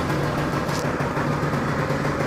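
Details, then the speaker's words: Budget-restored two-stroke scooter, first start after restoration with weak battery: steady, even two-stroke idle with a fast regular burble, no knocks or rattles; running healthy. "Okay, so let's start it up. God damn it. Oh, look, it's working."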